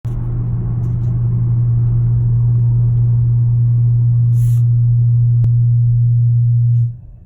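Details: 2018 Honda Accord Sport 1.5T, strong steady low engine hum at one pitch for several seconds then cutting off; abnormal, cause unknown.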